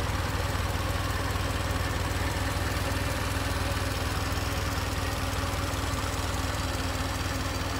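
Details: 1920 Ford Model T barn find that sat about 10 years, reassembled after a teardown for a low-compression cylinder; timing is noted as slightly off. Steady, even low thumping at about four beats a second with a faint hum. Smooth idle with no misses.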